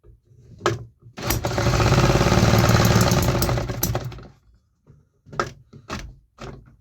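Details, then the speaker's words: 3D-printed 125cc two-stroke engine, started on starter fluid: a few pops, a brief rough buzzing run of about three seconds that dies, then weak pops; still a fueling problem. "It still has some fueling issues though. It started on starter fluid. It ran for like 6 seconds. So, that's definitely a success. We still have a fueling problem."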